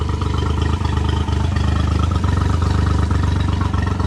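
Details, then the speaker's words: Three-cylinder outboard reading about 30 psi below its usual 120 psi compression, run after new plugs, oil and filter. The throb is uneven and stumbling, running on two cylinders. The top plug shows rust and water. "i could tell the motor is not running on three cylinders right now sounds like it's running on two"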